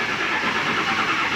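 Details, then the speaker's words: Early-2000s Ford F250 Super Duty, 7.3 L turbo Power Stroke diesel, 396,700 miles: even, unbroken cranking with no firing; crank no start, traced to fuel restriction at the tank after owner replaced fuel filter and a sensor. "Yeah, she just kind of cranks. That's no bueno. Just kind of cranks and cranks and cranks."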